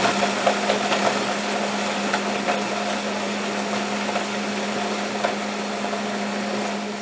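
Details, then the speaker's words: Demonstration blender making PayDay candy bar mix: smooth, even steady-pitched hum with no chunky knocking, chunks fully ground and mix ready; normal blender run. "You hear the chunks still grinding up, and that's true with all of them, Snickers and everything else. Listen to the noise. You can hear the chunks, and you can hear when they stop, and you know you're ready."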